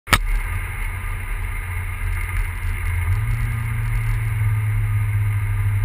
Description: Big turbo e85 volvo 940 misfiring for unknown reason